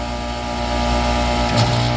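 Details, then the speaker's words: Aaon rooftop unit on a new account: a steady, low compressor hum, then a brief hissing shift in tone as the primary scroll compressors unload, which is normal operation. "right there in there all right so that sound is these compressors unloading"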